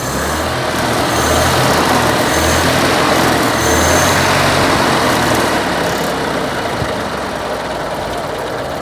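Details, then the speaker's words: 1932 Austin Heavy 12/4 Windsor, 1681 cc side-valve, 27 bhp, with an electric fuel pump: a steady warm-up idle running slightly high, with a soft even beat of about four per second; normal, sweet-running idle. "there we go we just got our idling just slightly high while she still warming up that SS absolutely lovely"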